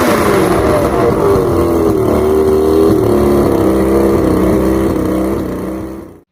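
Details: Outboard with water connected, after replacing the fouled number 5 spark plug: loud two-stroke drone with wavering, hunting pitch before shutoff; rough running, with vapor from all three carbs suggesting faulty reeds (suspected, not confirmed).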